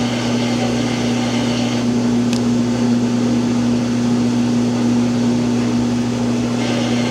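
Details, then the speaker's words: Samsung washer that won't complete its spin cycle: loud steady hum with a fixed whine as the drum tries to spin while the tub shifts around; spin fails, cause unconfirmed. "Now it's starting to spin, and it's probably going to make that noise again."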